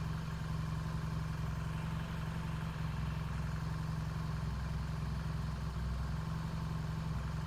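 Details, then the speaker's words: 1968 Triumph T100C twin with about 400 miles on the engine and recent smoke, at cold start: deep, even idle with no clatter or misfires. It is charging well (headlight brightening) and no vapor is seen yet. Normal idle. "This sounds pretty good. Seemed to be charging, throwing a good bloom on the wall."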